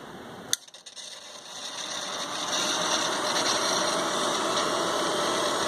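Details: ICS Advent Pentium III industrial PC reassembled with all covers on, worn fan filter: steady airy hum with a faint high whine, no rattle or grinding; normal fan noise.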